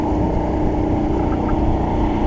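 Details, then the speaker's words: Mercury 50 outboard on a boat test after a long project, running in a no-wake zone: an even, steady low drone with no misses, knocks or surging, sounding good and running smoothly, though the throttle still needs adjusting. "puff straw sound good looking good"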